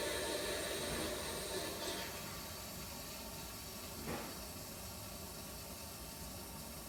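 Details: Replacement toilet tank with a straight supply line: soft, steady water hiss that fades as it refills, with no whistle or hammering. Unlike the earlier noisy tank, the flush and refill are quiet.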